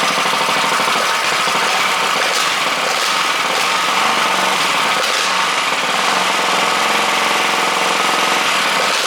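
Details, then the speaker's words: 98cc gasoline engine for a JC Penney Bird minibike build, test-run out of the frame with its exhaust on. A fast, even little popping beat with a soft exhaust and no misses or knocks; it idles healthy and very quiet. "I just want to know what it sounds like with the exhaust and everything on it. Very quiet."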